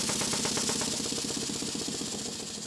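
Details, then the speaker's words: Restored Stuart beam model engine on compressed air after piston O-ring fit, parallel motion reassembly and valve timing adjustment: quick even chuffing at steady beat, no knocks or stumbles; admitting before top dead center, running well. "that seems to be running quite well i turned off the compressed air and turned it back on again and you can see that it's definitely admitting before top dead center the main thing is the engine is running in harmony with itself"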